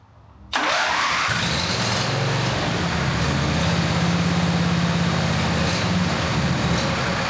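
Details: John Deere Z425 zero-turn mower engine after cleaning the sticking fuel-delivery part: silence, then it catches in one go and settles into a steady, even putter with no misses; starts and runs normally.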